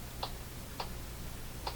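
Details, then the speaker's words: Hammarlund HQ-100A receiver during broadcast band alignment: three quick pops over a low hum from a ham radio behind, whose squelch breaks repeatedly instead of once. Cause unknown, possibly repeater activity. "that's a squelch breaking on a ham radio behind me. Why it's doing that? It should just pop once."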